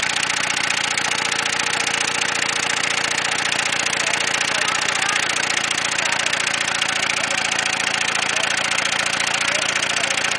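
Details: Ford Taurus engine running with no oil in the pan: harsh clatter with a fast, uneven knock about three or four a second over a thin rasp; rod bearings failing from oil starvation.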